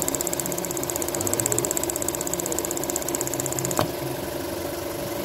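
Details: Seat Leon 1.6i petrol at steady idle with fast light ticking about four per second from the EVAP purge valve; replacement valve made the same noise, engine runs fine, normal purge valve cycling.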